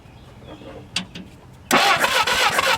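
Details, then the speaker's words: Barn-find Willys Jeep four-cylinder, year unknown: quiet, then starter spins the engine steadily with no firing; no spark at the plugs despite spark at the points and power at the coil; cranks, no start. "Still no spark. We got spark at the points, power at the coil."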